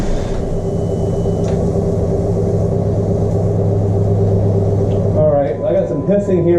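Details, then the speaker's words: Wrecked 2012 Jeep Wrangler, first start attempt on starting fluid: catches and holds a rough low rumble about five seconds, then falters; runs only on starting fluid, so fuel delivery problem suspected. "the power-steering file return but the engine did run so we must have a fuel delivery hu I'm also out of started fluid but at least we've got a running engine"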